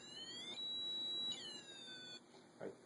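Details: Mel-8704R-REM-EMT-SDD meter using the REM feature with sensitivity increased, where more lights mean longer detection range. High-pitched warbling tones slide up and down in short bursts; normal REM field-proximity alert.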